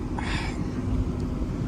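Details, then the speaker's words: GMC Sierra cammed 5.3 V8 (BTR stage 4 cam) with longtube headers, equal-length exhaust, Corsa axle-backs, CTS-V X-pipe, driving not hard after header leak fix: deep even rumble, no puffing or ticking, sealed and healthy. "they sound pretty goddamn good I mean I'm not even gonna fret about it I mean listen to that equal length exhaust holy crap"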